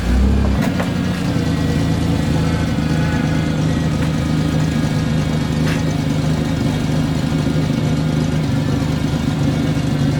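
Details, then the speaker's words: 1992 Ford Explorer, 4.0-liter, 5-speed junkyard truck, held under load to check for a miss: a deep, steady drone with no stumbling or popping. The engine pulls cleanly without a miss. "So basically, he puts it under a load to see if the engine's missing."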